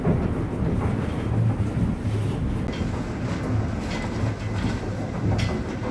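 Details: Dunster Water Mill, Somerset, water-powered millstones milling rye in full production: deep, steady rumble with a soft even clatter underneath, no knocks or surges. Normal running under load.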